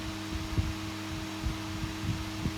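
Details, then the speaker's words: HP 8672A instrument cooling fan after blade repair and reassembly, bench test before cover glued on: steady low hum, clean even tone, a few soft bumps from touching the table; fan running smoothly, normal. "that's running smoothly success"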